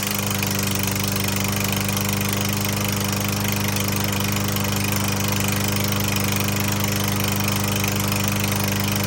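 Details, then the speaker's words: Troy-Bilt TB110 21-inch lawnmower after carburetor and spark plug replacement, plenty of oil: steady idle with a regular hard clack about three times a second; engine knocking, suspected piston slap. "it sounds like a slapp in the Piston the Piston slapping this thing's a piece of junk"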